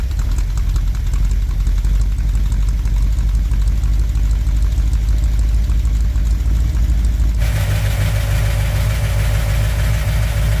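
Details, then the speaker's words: 1959 Chevy El Camino V8, first start after fixing overheating damage, cold, water temp just rising: deep idle with fast light tapping that is easing. Owner suspects a dry cylinder smoothing out. "And that noise I heard was more in this area, and it's actually getting uh better. It's not as bad. I think that might have been that dry cylinder, but it's smoothing out."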